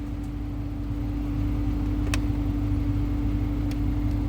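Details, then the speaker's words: 2013 Dodge Charger R/T blower after replacing blower motor and resistor (previously only worked on high, not two or three): steady, even fan whir, clean constant tone, no rattle or squeal; full speed control restored, working normally. "Now he had full control off the blower motor and the fan. It was not even operating on two or three. So everything is working fine with no problem."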